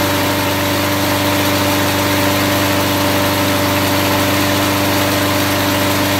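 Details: Lawn mower engine running on car wax instead of drained oil at about regular mower speed, temperature reading 225 at the start: a steady, busy, even tone with no knocking yet, very hot exhaust; it lasted the 10-minute test.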